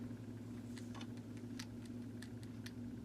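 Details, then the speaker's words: Vintage Sears variable timer model 796.66400 (Intermatic D111 type) plugged in, faint motor hum with sharp irregular clicking as the disintegrated main drive gear with missing teeth slips; worn drive gear, needs replacing. "that's also that clicking noise you'll know the gear is going bad when it starts making that noise so generally that's what happens to these"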